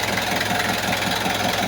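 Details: Kia Bongo diesel after fixing hard starting and white smoke on first morning start: even diesel clatter at idle, steady rhythm, no stumbling or misfire, white smoke gone; normal idle.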